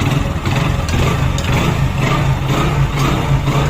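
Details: Hero Glamour small bike engine idling smoothly after engine reassembly: an even, steady low putter with no ticking or tinging over it; normal healthy idle.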